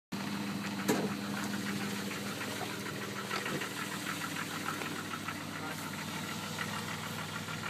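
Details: Jeep WJ at idle: light regular knock riding over the engine note with a few sharper raps; engine knocking, owner unsure if it is a problem, cause undetermined.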